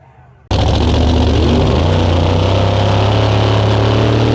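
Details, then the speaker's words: Race car after no-prep racing, with a broken part shooting fireballs from the exhaust and the headers glowing: a loud idle with an uneven, lumpy beat and irregular stumbles, consistent with misfiring cylinders and rough running. "This thing sounds like old man's dump truck after Bucko didn't put the spark plugs back in it."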